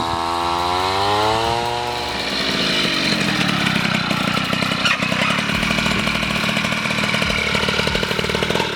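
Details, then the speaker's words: Piaggio Ciao moped, otherwise stock, with Polini Evolution, 75cc Pinasco cylinder and 19mm carburettor, on a test ride: the note climbs quickly, then hangs at a rough high buzz without gaining; the drive belt is slipping under load. "konnten trotzdem ein paar probleme feststellen und zwar zum einen vielleicht habt ihr es gehört der riemen der rutsch durch"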